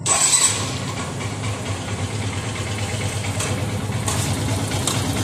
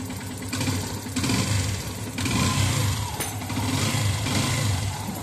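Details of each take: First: Yamaha FZS V3 single-cylinder bike idling with a coarse, tractor-like clatter from a loose, worn timing (cam) chain; tightening the chain adjuster bolt slightly reduces the noise, before timing chain replacement. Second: Yamaha FZS V3 single-cylinder engine after timing chain replacement and timing setting (sprocket marks aligned), head cover off: idles and revs smoothly, earlier tractor-like ticking and rattling noise is gone.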